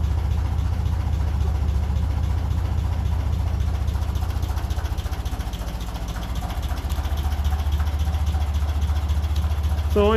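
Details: 1957 Ferguson 35 TVO tractor just after ignition timing was reset to the book specification, started on a mild evening after exhaust spitting was largely cured: steady, even low chug about three beats a second, no misses or spitting; normal idle.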